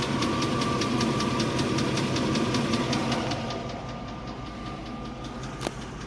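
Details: 1998 Range Rover P38: sharp regular ticking near 160 a minute over idle, fading as engine winds down; heavier tick, owner believes at valve speed, likely top end.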